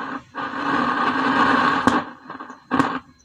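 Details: Homemade active speaker that played weak, humming sound: a rough buzzing growl cuts in and out in bursts with no music coming through. Caused by poor contact at the volume potentiometer cable.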